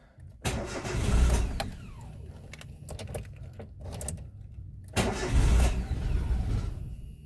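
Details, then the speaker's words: Daewoo Matiz three-cylinder at 222,600 km, start after engine repair: starter cranks in two bursts, catches and settles into a low steady idle; clean start, no warning lights besides open door. "пробуємо Ага все автомобіль запустився"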